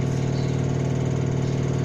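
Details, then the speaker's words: Samsung Eco Bubble 10.2 kg washer-dryer, 15 days old and correctly levelled, on spin cycle: loud steady droning hum pulsing rapidly at high spin speed; owner unsure whether the noise is normal or a mechanical fault. "Espero aí que o pessoal da Samsung veja nesse vídeo e nos retorne aí, né, com uma certa brevidade para ver se é normal esse barulho na hora da centrifugação que está configurada para essa rotação aí, né?"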